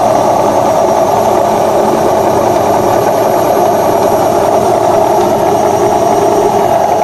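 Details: Washing machine during spin: loud, constant rumbling roar with a gritty hiss on top; cause is a worn tub (drum) bearing, fixed by replacing both bearings and the oil seal.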